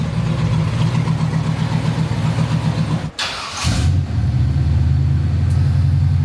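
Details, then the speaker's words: 1954 Chevy pickup at a test fire with new Flowmaster mufflers just tacked in place. Deep, even rumble at idle with a brief throttle blip, then it settles back smoothly; much quieter than before, with a nice rumble. "Sounds a lot better. Yeah, sounds a lot better. It's a lot quieter. Yeah, it's got a rumble to it."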